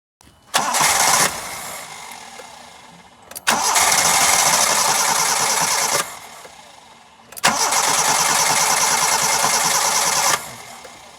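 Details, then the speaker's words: Engine that started once then bogged down and shut off: three long, steady fast cranking bursts never catching; spark present but no fuel delivered, crank no start suspected from dead fuel pump. "we notice that that once we started the engine for the first time there was a a a response the engine started and then it bogged down and it shut down and then once we tried to crank it again it wouldn't continue to start it just rotated"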